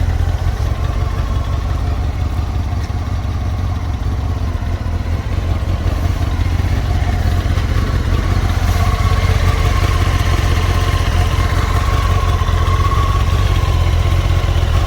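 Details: Honda CBR954 (SC50) with AluSil cylinders at idle: loose, rattly clatter of about four knocks per second in the engine note. Suspected piston slap and cylinder scoring, unconfirmed.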